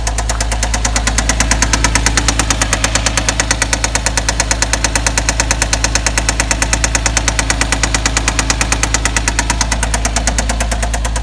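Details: 2007 Porsche Cayman engine: sharp, very even ticking about three per second over a steady engine drone; unexplained mechanical tick, owner asking for the cause.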